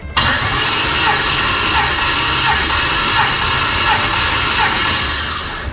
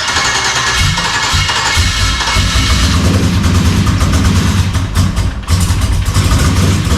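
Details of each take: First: LS-swapped Dodge Dakota V8 after sitting a year, Terminator X disconnected, cranking during compression test: steady, even starter whine with no catches or knocks; compression about 160–180 psi, owner thinks no bent rod; normal cranking. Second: LS-swapped Dodge Dakota, first start after sitting a year, internal one-bar MAP just loaded: lumpy, lopsided idle running on only four cylinders, one bank; owner is sure it's an injector issue, intake sat on a shelf.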